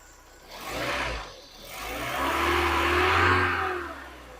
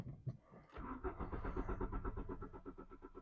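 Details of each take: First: Mk3 VW Golf GTI 8-valve petrol, 115,000 miles, sat unused about six years, just restarted: two clean throttle blips rising and falling smoothly, no rattling, banging, scraping or knocking. Normal revving. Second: Mk3 VW Golf GTI 8-valve, 115,000 miles, sat about 6 years since 2016, fresh fuel added: even starter cranking with no firing; no start, in-tank electric fuel pump suspected not working.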